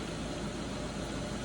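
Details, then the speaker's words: BMW 750 with N63 engine, smooth even idle after a cylinder 6 misfire. The misfire was caused by a broken, shredded new spark plug. An old plug gapped about 0.038–0.039 was refitted and the code cleared. Now running good, no stumble. "the car's running up now car's running good clear the code and I just popped one of the old plugs back in there"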